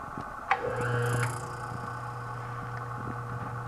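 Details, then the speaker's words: Antique Frigidaire 5400426 fridge, after rewiring, service port install and test charge, started on its original relay: relay clicks, then the compressor picks up with a steady, even, quiet low hum, a clean healthy start. "That sounded perfect. Sounds just like my AS76 does."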